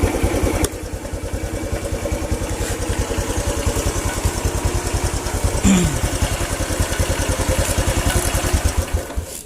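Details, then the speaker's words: Honda Revo single-cylinder motorcycle: steady, even putt-putt idle about two and a half beats a second, no stumbles; charging output confirmed. "kalau motor normal meskipun tanpa Ati kolektor dan lepas dia itu masih bisa nyala"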